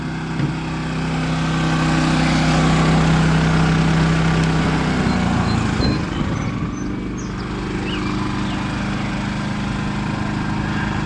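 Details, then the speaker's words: Champion 3400 W dual fuel generator for RV use switching to economy mode: engine hum drops to a lower, quieter steady speed and holds evenly, traffic noise behind; normal economy-mode idle. "So let me turn the economy mode on to make it run a little quieter."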